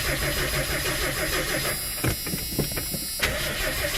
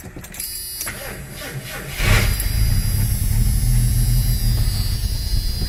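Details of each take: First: 1982 Ford Granada after a carburetor rebuild; steady idle, then a burst of cranking clicks before it catches and settles back into an even, smooth idle; starts and runs fine. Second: '82 Ford Granada, first start attempt after purchase, running on starter fluid in the carburetor; cranks, catches and runs rough about four seconds then dies, not getting fuel, fuel level unknown; carburetor needs rebuilding.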